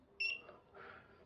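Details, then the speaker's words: Veteran Sherman electric unicycle after reassembly, with speaker plugged into its charging port: short high warning beep sounds harsh and broken, smearing into a buzz; happens intermittently, cause unknown. "well that sounded funny did you hear that every now and then it does that makes you worry makes you wonder like if it can't make the beep sound properly can you trust it to freaking hold you up at 40 miles an hour"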